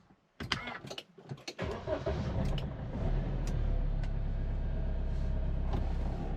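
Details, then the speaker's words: JAC pickup diesel after new fuel filters, tank flush, DPF regeneration, driveshaft and injector repair: brief crank catches within half a turn and settles into a steady, even idle with no hunting; healthy start. "Зпівоберта запускається. Дуже гарно робить."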